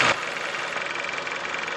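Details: Kia Theta II 2.4 GDI petrol engine at idle, checked at a Kia service centre: dry, fast ticking rattle over a hissy top end with little deep rumble; abnormal engine noise, cause suspected, not confirmed.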